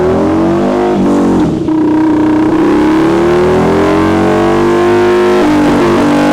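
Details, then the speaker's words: Harley V-Rod, dyno run at about 50% throttle: engine note climbs but stumbles and breaks up, with nothing on the top end. Misfire under load; rear coil pack and plugs to be checked. "There's nothing on the top end. no, it's breaking up so bad. It should be nice and clean. I'm only doing like 50% throttle."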